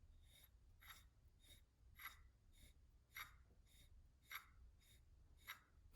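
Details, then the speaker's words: Honda D16Y7 engine rebuild: the old water pump, turned by hand off the engine, gives rough, gritty metallic scraping bursts about twice a second from a worn bearing, showing the pump was bad. "All right, so if you listen very carefully, you could hear when you're rotating this, you can hear like a bearing, like a metal grinding sound."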